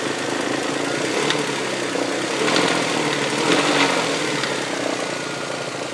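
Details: 1999 Toyota Sienna V6 idling with light uneven top-end taps about every second, like something hitting the valve cover; began after six NGK iridium plugs and oil change, also heard around 2300 rpm driving; cause unknown.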